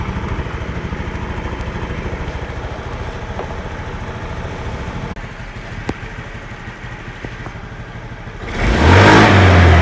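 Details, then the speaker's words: Honda Scoopy FI scooter that stalled when riding over rough roads, after pulser/wiring repair: steady even idle with a clean beat, then a quick throttle blip; engine starts and runs smoothly. "ini apakah kuat untuk kakinya nah daun untuk motornya sudah bisa hidup"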